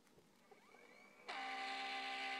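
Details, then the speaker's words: Failing laptop hard drive in a 2004 PowerBook with a failed spindle bearing: a faint rising whine gives way to a loud, shrill multi-tone screech as it tries but fails to spin fast enough to initialize, then spins down and retries; clicking also heard. "So it's trying to spin fast enough to initialize, but it can't quite do it. Sounds like a horrible hard drive crash."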